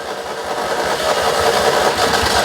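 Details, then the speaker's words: 2CV-based Falcon S kit car abandoned 23 years, with heavy easy-start spray: uneven spluttering chugs that build but never settle; definitely firing intermittently yet won't keep running, getting closer. "oh oh so close I really thought she'd gone then that battery that's all I don't think it's drawing as much now she's um getting closer that fired fire was you that was definitely a fire that was definitely something trying to happen"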